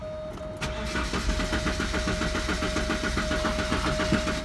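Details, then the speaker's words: 1988 Porsche 944 that cranks but won't start, after a new fuel pressure regulator and a new DME temperature sensor. The starter spins the engine at an even three to four beats per second with a steady whine and never fires. The fuel pump is not heard running. "Oh won't start me unless you know weird thing about this I don't hear the pump running which worries me"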